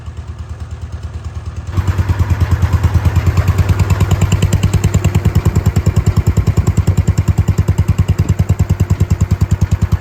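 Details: Wheel Horse C-120 single-cylinder engine after fuel was drawn up and the filter refitted. It fires up and settles into a steady, even thump of about three beats a second, no misses or knocks; normal running.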